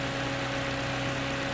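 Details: 2006 UK Honda Jazz idling after repair: smooth, even idle with a steady low hum and no squeal or bearing rumble; the noisy AC compressor pulley was replaced and a new belt fitted, and the exhaust heat shield still rattles.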